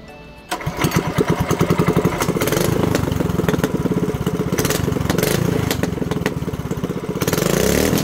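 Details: Mini bike with new shorty header, first start: engine catches and settles into a quick, even, crisp popping beat of about twelve per second through the short pipe; runs cleanly, normal running.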